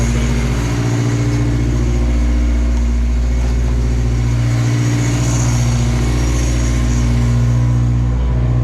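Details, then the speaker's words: Toyota 22R four-cylinder, just reinstalled, cold start with a new exhaust. Deep, even rumble holds a steady idle and rises smoothly on revs with no knocks or ticks; the engine sounds healthy. "Oh, that sounds so good. Oh man. Let it warm up, then I'll rev it a bit. Yeah. You happy with it? Oh, yeah. Yeah. That runs so nice."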